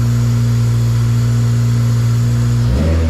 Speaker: there it is seems to be running